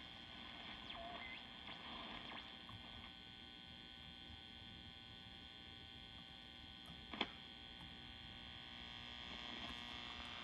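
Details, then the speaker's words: 1952 Wards Airline AM tube radio after installing a new 12V6 tube: low steady hum with faint whistle, squealing from the oscillator and no station received; tube swap changed nothing. "Well, it seems like the 1286 was not the issue. I can still hear squealing sounds coming from the oscillator."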